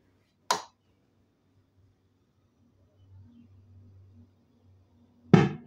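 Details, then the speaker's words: TPA3116D2 amplifier board driving two speakers makes a sharp thump/pop at power-off, caused by a current surge from the amplifier output stage through the speaker voice coils; later fixed with a relay and external power supply. "It makes that annoying sound. Now, that annoying thump or popping sound comes from a sudden surge of current from the output stage of the amplifier going through the voice cord of the speakers."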